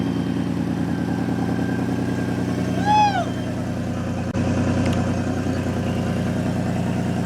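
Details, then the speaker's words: 3.7 V6 Mustang with a big single turbo, first start after an engine swap: steady, deep, even idle with one brief rising turbo whistle. Sounds healthy; normal idle. "I'm going to kill it for now cuz I want to double check that the oil drain lines are all good that sh sounds [ __ ] meaty dude"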